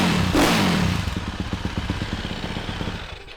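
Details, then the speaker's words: Yamaha YZ450F supermoto build, first start after reassembly with gasket and front sprocket fitted: short rev then settles to an even steady thump about four pulses a second; normal healthy start and idle. "Yeah, so as you can hear, it sounds really fucking great."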